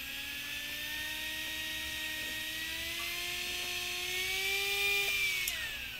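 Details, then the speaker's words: Small 3-volt motor salvaged from a Sony Walkman EX 102, driven from a power supply at up to 14 volts: thin high whine climbs in pitch as voltage rises, then sags as the overvolted motor burns out. "don't run something that runs on three volts on 14 volts or it's kaput time"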